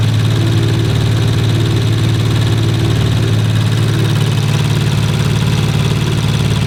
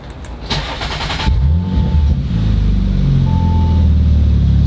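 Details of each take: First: Rebuilt 2019 Audi RS5 warming up at idle, no muffler, canister not yet fitted: fast light tick over low hum; ticking at idle, source not pinned down. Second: Rebuilt 2019 Audi RS5, second start after earlier engine bay smoking: short crank, catches at once, settles into loud, deep, even idle with no misses, no longer smoking; normal cold start and idle.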